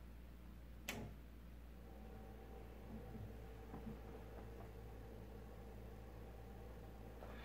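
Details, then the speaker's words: Power supply unit fan powered on for demonstration: faint steady low hum with no real airflow, the fan motor energised but not spinning properly, so it is being replaced. "can hear that it's just the hum of the fan moving and not working and so I'm turning it off and because I'm going to replace it"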